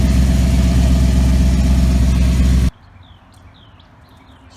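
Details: 2014 Maserati GranTurismo, cold engine after sitting overnight: steady, even low idle rumble under three seconds with no tapping or knocking. The transmission-area noise is heard only when warm.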